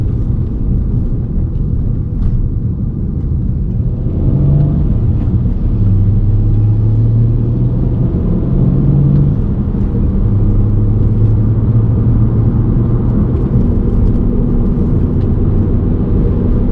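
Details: VW Golf MK5 R32: a deep, steady rumbling drone fills the cabin while driving, the growl of a worn wheel hub bearing.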